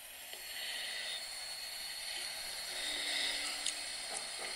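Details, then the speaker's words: Google Pixel phone after the latest camera update: faint steady hiss with a thin high whine over a quiet room in a recorded video; an app-settings bug is blamed, fixed through the Google app settings. "okay so you can hear a definite hiss and high-pitched noise"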